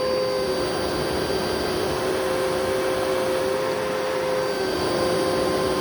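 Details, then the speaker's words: Eureka vacuum with self-cleaning duster, running: steady high whine with a coarse, gritty roar underneath; motor runs rough and probably needs a refurbishment. "But yeah, so that probably needs a motor refurb at some point"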